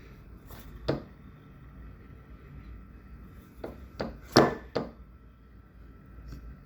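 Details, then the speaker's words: New replacement fan motor in an Amana PTAC (2009-and-older model) after the old motor's bearings were found loud: very quiet, smooth hum with a faint steady tone and a few handling knocks, running normally. "you can barely hear it"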